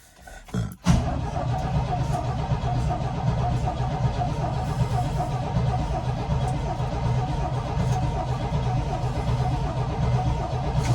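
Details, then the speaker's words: 1972 Chevy C10: a steady cranking churn that never fires, even with starting fluid, after the ignition points were cleaned. There is still no spark; the points were then filed to get spark. "Alright, I guess we're still not getting any fire."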